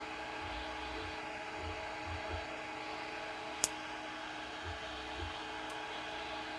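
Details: E3D Hemera extruder: steady fan hiss with an occasional sharp bursting pop, about two in seven seconds, as it pushes filament during extrusion.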